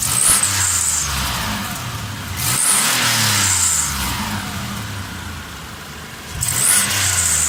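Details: 2001 Pajero NM converted to a 380 engine: each rev from idle carries an odd hissy edge, unchanged for several months since the conversion; cause unknown.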